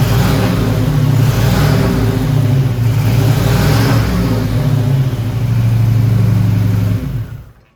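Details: 1987 Buick Turbo T (Grand National) back running after 12 years: deep, even exhaust rumble swelling and easing with the throttle, no ticks or scraping; normal running.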